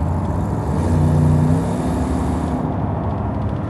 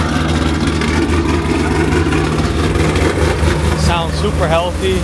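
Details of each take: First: Loaded truck idling with a low, loose puffing rumble; exhaust gasket blew off again on a long trip, clamp possibly loose; exhaust leak. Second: Truck cold start, loud deep exhaust rumble at a steady, even idle with music over it; no knocks, misses, smoke or leaks, a healthy cold start.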